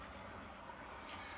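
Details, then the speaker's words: Electric water heater refilling after element replacement, pressure relief valve left open: steady soft rushing hiss, no knocks or surges, as water fills the tank and air escapes through the valve. "it's very important you leave this pressure release valve open so that as the water goes into the tank and fills it up air can escape so that's what it kind of sounds like"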